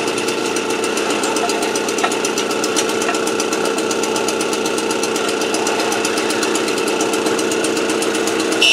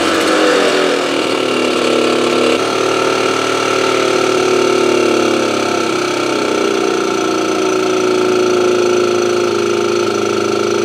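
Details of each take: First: AV89 two-stroke moped on a 70cc Ersal kit, after an ignition repair and with a correct-thickness head gasket, warming up before retightening head and exhaust: steady, even buzz with fine regular ticking, no misses or surging; runs cleanly. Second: Motobécane AV89 moped two-stroke after ignition repair: now starts first kick but revs buzzy, thin and weak, engine turning too freely; low compression (decompressor cable ruled out, head tightness to check), explaining poor idle; head gasket blamed.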